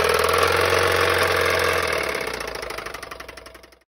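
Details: Toyota Prius engine run out of oil: heavy, steady metallic knocking about 3.5 per second, slowing as the engine winds down. Lots of metal was found in the oil pan, pointing to oil-starved bearings.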